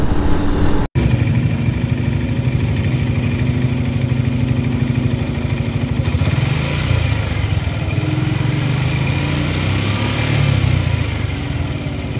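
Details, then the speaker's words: Suzuki Gixxer SF 155, after dealer technician fixed rattle from tappets or cam chain: steady even low idle rumble with no ticking or rattle; noise gone, normal idle. "este técnico si me revisó la moto más a profundidad Y pues sí efectivamente el sonido desapareció"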